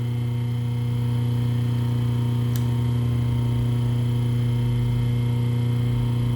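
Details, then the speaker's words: Rewound three-phase motor on 220 V single-phase mains with a permanent capacitor, delta-wired, running counterclockwise and drawing a higher 4.3 A on one phase; strong steady mains-pitched hum with an even fast beat, no grinding: normal running. "Tá rodando sentido anti-horário, tá? Vamos ver a corrente aqui numa das fases. 4.3, você vê que dá uma corrente mais alta."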